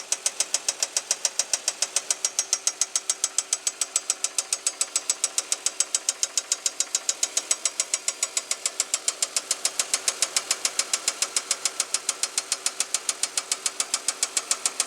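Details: 2005 Chevy Equinox idling petrol engine: sharp steady knock about twice a second; oil pressure good, no metal in old oil after change; owner hopes it's a loose rocker arm, cause unconfirmed.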